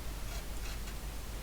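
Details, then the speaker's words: Mimi 801 disk drive head stepper motor: faint, uneven ticking and scraping over low motor hum as the head steps; carriage sticky, binding on dirty guide rails needing cleaning. "moving but is very sticky I hear the noise it's making so we'll clean the two guides"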